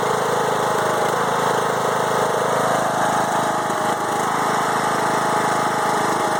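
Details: Five-year-old Craftsman mower with a Briggs and Stratton Intek 20HP V-twin, after a head gasket replacement following hydrolock: an uneven, loping idle with irregular stumbles about three a second; it also bogs while mowing, cause unclear.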